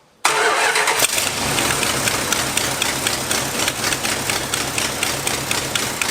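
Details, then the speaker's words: 1986 Dodge Ramcharger, after tightening the loose, screaming belt and fitting the carburetor return springs: the engine catches immediately and runs steady and even with no squeal or stumble. Normal running. "that's pretty damn good i'm very impressed by that carburetor"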